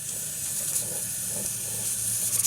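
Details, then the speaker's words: All American 941 41.5qt pressure canner canning raw beef and dry beans, 10 lb weight on, heat turned down: steady steam hiss with soft uneven rattle as the weight jiggles, wanted 3-4 times per minute; normal pressure. "Sounds like a rattlesnake. You want that to rattle 3 to 4 times per minute."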